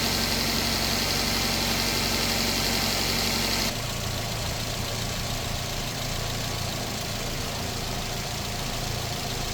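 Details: Older-model Perodua Alza idling after thermostat replacement while coolant is topped up to purge bubbles: steady, even idle with a smooth low hum and no knocks or misses; engine running normally.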